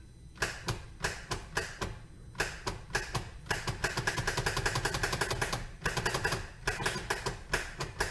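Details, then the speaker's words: Polaris RZR XP1000 that went through ice into a lake will not start, just rapid bursts of sharp clicking with no cranking after fuel pump priming; bad starter solenoid. "doesn't look like it's even gonna wanna go so that clicking i'm sure is the solenoid the starter solenoid"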